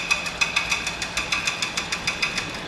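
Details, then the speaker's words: Land Rover Range Rover at idle: sharp, steady clicking about six a second that sounds much like engine knock but does not come from the engine; a local shop nearly overhauled the engine. "这种咔咔咔咔的异响声，听着特别像发动机的敲缸异响。车主大哥在当地维修，也差点被大修了发动机。今天我就来告诉老铁们，修车必须找准家。此台车的异响声根本就不是从发动机传出来的，咱们来看一下毛病到底出在哪。"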